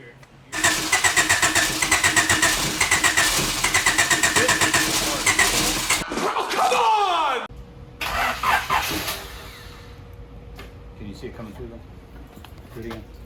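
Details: B17-swapped EF hatch, with fuel now dripping through and the fuel pump sounding more alive: the starter spins at about four compressions a second for five seconds and never catches. The engine isn't getting fuel.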